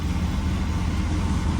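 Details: Polaris RZR 800 after sitting years, mocked-up, before coolant bleeding and a heat cycle: steady, even low rumble, no knocks or misses. Normal, healthy idle.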